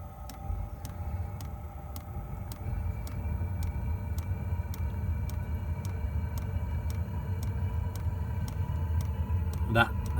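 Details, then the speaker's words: 5 kW Chinese diesel heater starting after fitting a new controller, motherboard, burn chamber and pump; the old controller had apparently been over-fuelling, running too rich: the pump ticks about twice a second as the burner rumble builds evenly, and it fires with no smoke. "fired up on 99.9 certain that has fired up and no smoke yep that's hot air coming out of there no smoke"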